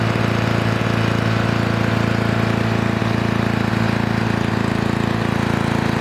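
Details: 1982 Lawn Boy Scamp model 4503 20-inch push mower, restored with new engine parts in break-in: steady even two-stroke buzz, regular firing, no misses or surging; engine healthy.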